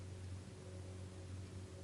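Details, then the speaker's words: GRAVIBAL CAR wheel balancer spinning a 19-inch wheel during custom size setting: only a soft, even low hum, no knocks, rubbing or wobble; wheel runs smoothly, almost silent. "Please observe that the wheel is running smoothly and with no strange noise. In fact, there will be almost no noise, as you can"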